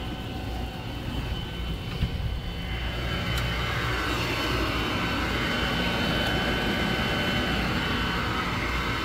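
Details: Furnace in a room beside the bedroom, heating the upstairs unit only, starting up at night: a deep steady roar with a faint hiss that holds level after start-up. Far louder than normal, cause unknown.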